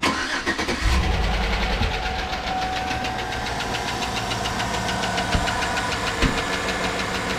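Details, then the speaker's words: 2008 Chevrolet Tahoe 5.3 L AFM/DOD V8, 187,000 miles, low oil pressure warning: after start, quick regular tapping knock at idle, louder on one side at times; lifters checked fine, blamed on leaking oil pickup tube O-ring. "i think that's what this noise is this noise is way more of a knock than a lifter sound so i'm pretty sure that's what it is"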